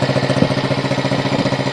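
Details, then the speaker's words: 1971 Honda SL70 after sitting, rebuilt with 88cc top end kit, carb kit, air filter and tune-up, on temporary battery: even steady putter, no knocks or misses; normal clean idle. "so let's fire it up and here one last time right up oh yeah vintage bikes are"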